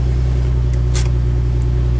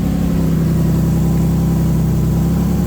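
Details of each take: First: 2004 Nissan 350Z 6-speed manual (CD002) idling with a steady low droning hum and faint constant tone; worn throwout bearing whose inner ring broke out and pushed against the sleeve; clutch sticks, car stalls in gear. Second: 2004 Nissan 350Z 6-speed manual (CD002), after throwout bearing and sleeve replacement: steady, even idle with smooth low rumble, no grinding or chirp with clutch pedal held down; sounds healthy.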